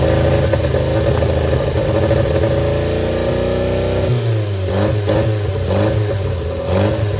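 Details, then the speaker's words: Barn-find Austin-Healey Sprite on jump pack, cold start with choke and throttle worked by hand: engine catches, revs surge and sag as throttle is worked, then settles to a lumpy, hunting idle; rough running on choke. "Alright, let's put a jump pack on it. Wants to run. Try to work the throttle and the choke at the same time."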